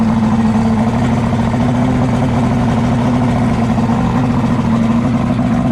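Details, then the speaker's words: Boat outboard motor after fixing high revving caused by a broken throttle cable: a steady, even, mid-pitched hum at a settled idle with no surging. "let me turn that down all right so we just fixed the throttle issue"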